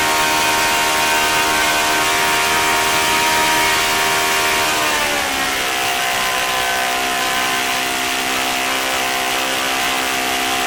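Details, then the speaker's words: O.S. FS-40 Surpass model four-stroke glow engine, first run after bearing replacement and cleaning, new Enya #3 plug, 11x6 prop at about 9,400–9,500 rpm: high steady buzz, slight pitch dip midway, then even clean run; healthy once warmed up. "I think for this engine I was pretty happy with it it sounded good once it got warmed up and it had the decent idle to so it's a pretty nice little engine"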